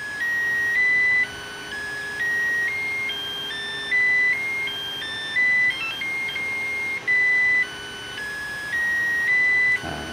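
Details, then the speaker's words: Makita DC18RC rapid charger with BL1850B 18V battery; short electronic melody of stepped beeps over faint fan hum, user-selected tune signalling charging complete; normal charge-complete melody. "So nanti bila dia dah siap charging nanti, dia akan keluar notification lagu yang kita nak tu lah, yang kita dah setkan tu."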